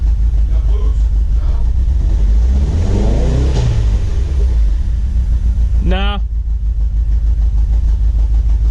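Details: Turbocharged Chevy HHR project build, restarted after engine retiming and tune install: steady idle, then a smooth rev up and back down with no stumble or misfire; normal running.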